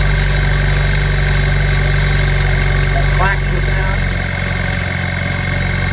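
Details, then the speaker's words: 2007 Pontiac Solstice Ecotec 2.0 turbo, no check engine light, started cold: steady deep drone at idle with a quick, even rattling slap on top, suspected timing chain slap. "the turbo version with a what we believe to be a timing chain slap sound"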